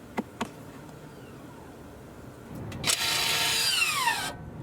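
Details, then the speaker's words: Toyota RAV4 (2019+) leaving rear brake service mode, brake pedal not pressed: couple of clicks, then a short rear parking brake motor whir about a second and a half, falling in pitch as it tightens and stops; normal application. "To deactivate this mode, you have to pull this button up, pull and hold, without pressing the brake pedal. Wait until you hear the motor working in the back. You can actually release the button, it will go to its proper position, and in the end you simply have to re-engage the parking brake."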